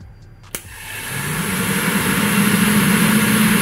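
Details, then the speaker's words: VW Gol G2 with the radiator fan wired directly to test it while diagnosing overheating: a sharp click, then the fan spins up over two seconds to a steady rushing whoosh with a low hum. The fan motor works normally. "você vai ouvir se der certo se eu ouvir ele ligando"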